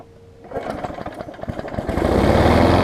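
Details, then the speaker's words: Weed Eater 20-inch mower engine, transplanted onto a Murray deck with a 21-inch blade and cleaned air filter, cranks, catches within a second and settles into a smooth, fast, even, quiet buzz; normal running. "that's good it's pretty quiet and the deck is almost brand new"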